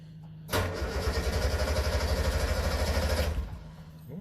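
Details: Blue 360 van started in neutral on choke in the garage: brisk, quick cranking catches within a few seconds into a buzzy two-stroke run with heavy smoke; the battery is strong.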